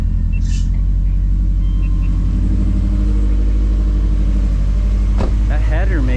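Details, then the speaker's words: 2005 Subaru Outback XT after a Stage 4 install (Blouch 1.5 XTR 10cm big turbo, Tomei unequal-length header), before tuning: a loud, deep boxer rumble, a steady idle and quick free revs, much louder than before. It runs cleanly with no misfire or leaks. "makes it much louder than I remember. It revs a lot quicker too."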